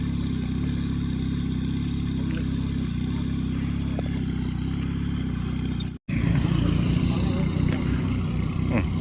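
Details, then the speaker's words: Yamaha crop-spraying helicopter engine on its pre-flight engine and injector test; steady, low, unbroken buzz like a small motorcycle. Engine running normally. "หน้าผมก็เขาจะให้เราออกมาห่างก่อนนะคะว่าทำการทดสอบระบบยนต์แล้วก็หัวฉีดใหม่พรรคอะไรนะครับก่อนที่ทำการบินทุกครั้งนะ"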